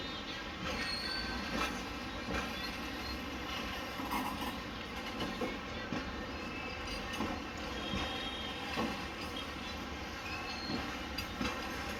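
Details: Freight train with WAG-5HA 24028 and WAG-5HB 24026 locomotives hauling a container rake, departing into Kalyan yard. A long, loud, high-pitched wheel screech with clicking wheels as it starts to roll slowly.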